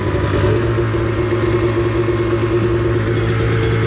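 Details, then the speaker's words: 1998 Arctic Cat Z440 fan-cooled twin-carb two-stroke snowmobile, carburetors recently gone through; steady even burble settling to idle with no misses, surges or knocks; normal idle. "idle down, just takes a minute. Oh yeah, I mean, it kind of is what it is. It's an old sled. Does its job."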